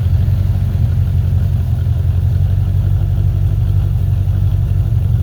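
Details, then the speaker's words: 1985 Corvette C4 V8, cold, idling: loud deep steady rumble from an exhaust shot from the cat-back; damaged exhaust. Throttle dead spot also noted, owner suspects cold engine or TPS. "exhaust is shot on it from the cat-back"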